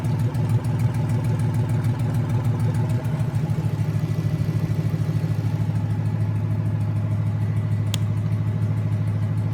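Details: Junkyard 2009 5.7 Hemi, about 80,000 miles, bound for a 1972 Cuda, on a run stand with new Hotwire harness and used 2009 Challenger PCM. First startup after an oil and pan change. Smooth, even V8 idle with steady deep pulse, no misses, ticks or knocks. Normal idle.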